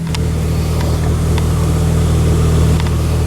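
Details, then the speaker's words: 2003 Pontiac Vibe GT four-cylinder petrol with a P0303 misfire, after replacing the coil pack and spark plugs and reconnecting the battery: a steady, even idle with zero misfires on all four cylinders. "let's reconnect our battery turn the key and see if we fix something sounds better"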